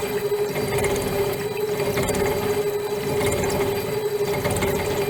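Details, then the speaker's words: Shaper with modified internal cutting bar squaring out a hole: steady cutting drone with uneven, rough hammering vibration as the cutter chatters with too few teeth in contact; improves once more teeth engage the cut. "Creating quite a bit of a vibration, you can hear it hammering."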